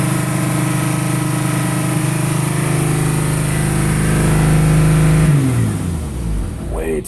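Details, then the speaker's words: 1999 Jeep Cherokee XJ, first start after 7 months sitting, with rebuilt starter, repaired header, new gaskets, thermostat, PCV valves, IACV and 63mm bored throttle body: loud, fast, even idle far too high, smoke from grease burning off the manifold; cause being diagnosed. "I have an idol oh it's so loud and we got some smoke and stuff that's to be expect a lot of grease and everything burning off of the manifold that hasn't uh seen any heat in quite some time but that high idle is what has me very very worried"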